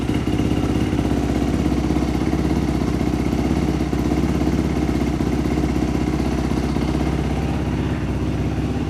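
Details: Dirt bike after a top-end rebuild, fixed once the fuel squirt was restored; steady, even idle with a quick regular beat and no misfires or stumbles; normal idle.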